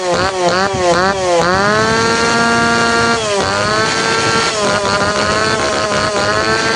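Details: Tanaka PowerMate PMS340 two-stroke pruning saw, warm, after fuel delivery system repair and final tune-up; crisp blips climb cleanly to high revs and settle without stumbling or bogging; now correct, ready to hand back.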